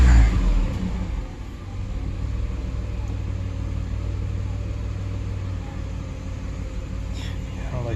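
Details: 2003 Ford Explorer 4.0 V6 after timing chain repair, idling after mass airflow sensor cleaning: low steady idle, even beat, no knocks, misses or hunting; still reading a little high, owner suspects injector issues from fuel trim.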